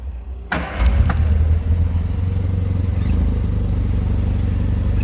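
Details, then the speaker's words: 1974 Triumph Spitfire 1500 started cold, not yet run that day: brief crank, then it catches at once and settles into a steady, even idle with no misses or knocks. Healthy cold start. "Fires right up. Let it warm up here just a tad. I haven't had it running at all today."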